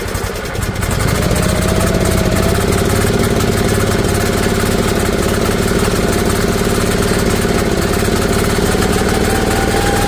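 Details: Briggs & Stratton electric-start gas generator bought at auction, first run in years: it catches after purging the regulator and settles into a steady, even putter with a constant low drone and no misses, knocks or hunting. It is running normally.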